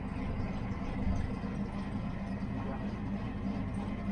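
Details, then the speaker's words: Fox body Mustang V8 idling at about 900 rpm, cammed: low, steady, even rumble with no knocks or misses; engine sounds tight and healthy. "sounds like the engines tight on this thing guys it is super tight"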